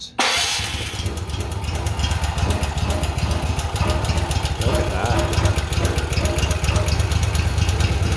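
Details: Honda generator that wouldn't start, after carburetor clean, fresh gas, oil change and water found in fuel filter, choke on: cranks, catches right away, settles to a steady even drone without misses or surging; runs normally.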